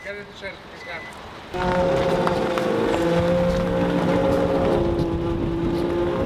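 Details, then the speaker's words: Nissan S15 Silvia on newly fitted coilovers driven around yard; loud steady groaning moan while rolling; plastic arch liner rubbing, not the coilover; wheel arch liner rubbing. "well we said the arch line at least it's not the coil over it's driving sounds horrendous it's a better noise than the last one that's definitely plastic noise"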